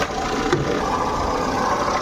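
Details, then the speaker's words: Jeep Compass diesel idling before repair, heard at the alternator from the engine bay's right side: loud steady rough grinding rattle over the idle, present from start-up and continuing, from a failed alternator pulley bearing. "इधर से हमारी जो alternator है battery देख सकते हो कितना जोर जोर से आवाज आ रहा है"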